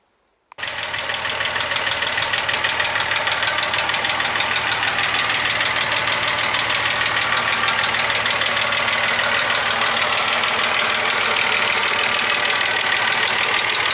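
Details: VW Passat Variant 35i with VR6 engine, started after long standstill in a hall, idles slightly unevenly with a quick regular top-end tick about three per second; owner suspects hydraulic lifters, not running round.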